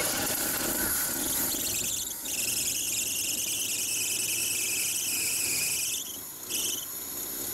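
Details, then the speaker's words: Small-block Chevy V8 at first start after a float/carb fix, cold out: high steady squeal riding over the engine, dipping and returning with revs, a loose slipping accessory drive belt. "all right let's see if we do something with that belt driving me nuts"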